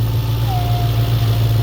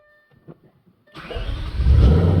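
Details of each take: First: Audi B7 S4 4.2 V8 at idle: removing the oil filler cap brings a thin howl over the deep idle and the idle changes, a vacuum leak; refitting it restores the idle; same with the dipstick. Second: Audi B7 S4 4.2 V8 startup: it cranks briefly, catches, flares, then settles into a smooth, even fast idle with no slapping from the back, suggesting the timing chains should be good.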